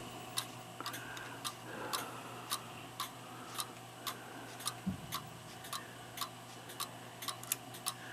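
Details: Railroad house cuckoo clock after rebuild (new lantern pinion trundles, bushings, two pivots, rebuilt chain wheels and cuckoo parts), test-running on 750 g weights: crisp, even tick-tock at a steady beat; running cleanly and regularly.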